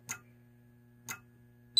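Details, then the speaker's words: Radionics D7022 fire alarm panel demo with Wheelock strobes in sync: crisp single clicks about once a second from inside the panel, then a steady alarm tone; normal sync module clicking. "es are in sync i can assure you they're both working and you can you probably hear the sync module clicking away in the panel it uses an older wheel accent"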